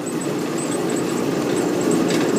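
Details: Old Maytag natural-gas dryer (model CDG46, 18,000 BTU, possibly 1960s), after replacing the high-limit switch (210°F to 250°F) for a low-heat problem, panel open: continuous midrange tumble and motor hum with a soft burner roar, steady with no squeal or thumping; running normally.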